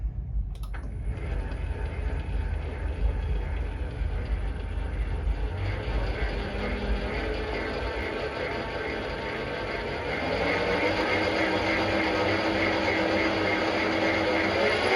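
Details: Refurbished three-phase motor on a Centec 2B milling machine, with new belts fitted and mounts straightened: it spins up to a steady hum with a faint whirr and no grinding, clicking or clatter; it runs smooth and healthy.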